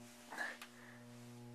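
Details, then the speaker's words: 1970s Lenoxx BSR turntable AM/FM stereo receiver, hum through speakers on every source (radio, phono, aux) despite cleaning: steady low constant buzz; mains hum, owner suspects ground loop. "I tried cleaning everything. I think it's a ground loop."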